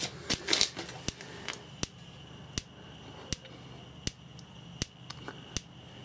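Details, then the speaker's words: Dometic/Electrolux RM212 3-way caravan fridge being serviced because it would not light easily: crisp, evenly spaced gas igniter ticks while the knob is held in to bypass the thermocouple; ignition follows. Normal igniter ticking. "So as soon as we turn this on, I'm hoping, with a few ticks, you should get an ignition."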